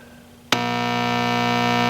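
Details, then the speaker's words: Philco Champ 84-5F1 amplifier, heard near the power switch just before the off/on click: steady low buzz with even overtones jumping in abruptly and holding level; suspected 60-cycle mains hum, possibly needing filament-to-ground resistors, not confirmed. "I think it's a 60 cycle hum that I'm hearing want to listen to it"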